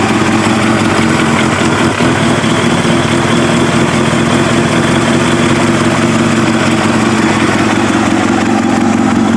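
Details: Kawasaki ZX7R race bike on FCR41 flatslide carbs, fuel screws 1 turn out, not fully cold, tank refitted; fairly steady four-cylinder idle with a faint rise and fall, about 1250 to 1500 rpm. Slight hunting, judged acceptable.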